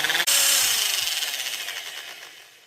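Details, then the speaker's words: Angle grinder/polisher after new bearings and regreasing, reassembled, slight smoke: high whine with gritty rattle spinning up and down; higher-pitch bearing noise gone, remaining noise thought to be gear lash in head. Finding: gear noise. "And based on the sound, I think that's just all that gear lash in the head. A lot of our higher pitch bearing noise is gone."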